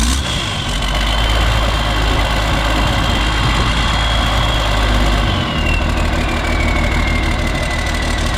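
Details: Isuzu cab-over truck with straight-pipe turbo, cold start: loud uneven diesel clatter with unsteady beat about three per second; runs rough, misses and smokes when injection-pump wiring harness is plugged in, perfect when unplugged; cause unknown.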